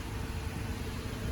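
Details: 2017 Toyota Tacoma 3.5 V6 after a no-start (cranked but would not start, no codes) traced to the crankshaft sensor and a bad connection, repaired: steady even idle hum, no misses, stumbles or knocks; runs smoothly.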